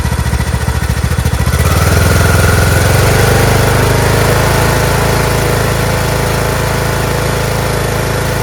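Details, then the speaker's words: Craftsman T1600 (T600, MTD-built) lawn tractor, Briggs 19hp single-cylinder, just after cylinder head and head gasket replacement: uneven chugging for the first second, then settles into a smooth, steady idle; normal idle. "fantastic such a smooth engine sounds perfect in the beginning it's a little questionable but once it got over that first hump sounds fabulous"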